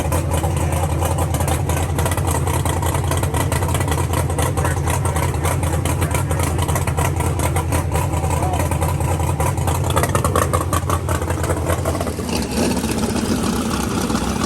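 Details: Drag race car (set up for Ultra Street) after a broken cylinder-four intake rocker was replaced with steel rockers and a new tune flashed to start without the coolant sensor plug: loud, lumpy idle about three and a half pulses a second, steady without stumbling; normal idle.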